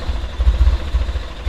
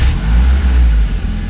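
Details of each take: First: 1995 BMW E36 318i petrol engine struggles to idle, with a low rumble that surges and sags about once a second, though it drives fine. The owner suspected a clogged idle control valve, but a split vacuum hose at that valve was found and fixed. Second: 1995 BMW E36 318i after its split idle control valve vacuum hose was taped over: steady, even low idle rumble with no hunting, stumbling or hiss. The idling problem is cured and the engine sounds healthy.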